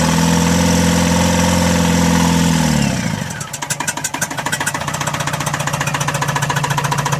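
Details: Tata Mega XL two-cylinder engine at idle: a steady whistle-like tone fades as revs drop, then an uneven knocking about three or four a second; turbo failure suspected, unconfirmed.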